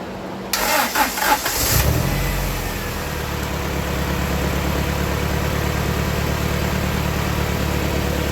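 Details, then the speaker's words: 1995 Honda Prelude 2.3 with stalling, suspected low compression and blow-by, after cleaning throttle body and intake: cranks, catches after a couple of seconds, settles into a fairly steady idle with faint uneven pulse; rough idle improved. "idle's a lot smoother now"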